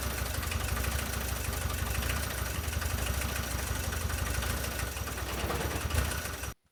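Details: VW T3 diesel running again after many years, following cleaning and refitting of injection pump parts (lines, distributors, solenoid, throttle linkage); adjustments still needed. Low, even diesel clatter at idle with steady beat, no stumbles: normal diesel idle.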